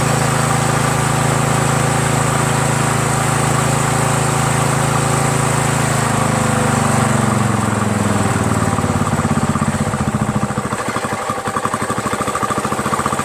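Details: Troy-Bilt lawn tractor, 17.5 hp Briggs overhead-valve single-cylinder, after carburetor swap: smooth, steady drone, pitch easing down evenly when throttled back, no stumbling.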